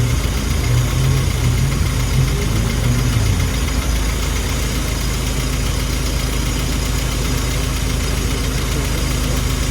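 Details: Classic car engine at a steady, even idle that holds speed without hunting, after the idle mixture screw was set by ear. Before, it was too lean (about 1.03-1.05) and struggling; now about 0.93, and idle stays up. Normal idle.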